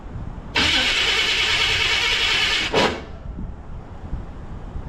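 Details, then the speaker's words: 1984 Chevy Silverado after 305-to-350 swap, first start with two pumps of the throttle: loud cranking about two seconds, brief rough catch, then it dies; hard start, too much timing advance suspected, fuel seen pushing out of the carburetor. "Maybe too much advance, maybe. I don't know."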